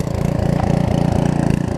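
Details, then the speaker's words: Karcher pressure washer with 6.5 hp Briggs engine and new carburettor, after long non-use, running a couple of minutes; single-cylinder putter rising and sagging unevenly at idle; idle surging. "Alright, so just even letting it run a couple of minutes, you see it bouncing all over the place when it's sitting here idling."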